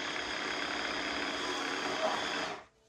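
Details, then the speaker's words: Tineco iFloor3 wet floor cleaner, two years' use with bleach in clean-water tank: thin steady brush-roller whir with no suction roar, cutting out after about five seconds; suction motor seized, fully rusted. "et après 5 secondes le moteur s'arrête tout seul donc c'était le moteur d'aspiration qui était bloqué"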